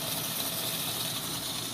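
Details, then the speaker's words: DIY protein skimmer with upgraded Jebao DC 6000 pump, first quick test: steady rushing hiss of air sucked through the injector, even and uninterrupted; injector drawing plenty of air. "Looks like it's pulling lots of air to me. You can hear the injector."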